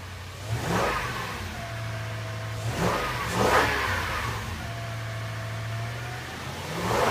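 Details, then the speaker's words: 2005 Toyota Tundra 5.7L i-Force V8 after a 0-degree cold start, camera moved outside: several clean blips rising quickly from smooth idle and falling evenly, no knocks or misses. Normal revving. "Gotta love that 5.7 liter iForce V8."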